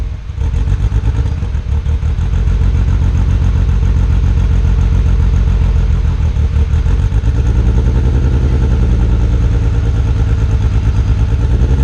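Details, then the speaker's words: R32 Skyline GTR after a fuel pump connection fix, plugs looked fine: blipped and held at higher revs with an uneven chugging beat that never smooths. Still misfiring; owner suspects the tune, unconfirmed. "Still misfired. It died. Something's really wrong."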